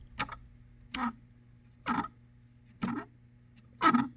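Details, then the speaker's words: JCB 260T skid steer HVAC heater blower fan, dirty from poor maintenance: sharp squeaks about once a second over a low hum; the fan drags, doesn't spin freely and barely turns even on high speed. "if you can hear that noise that squeaking noise that's no good"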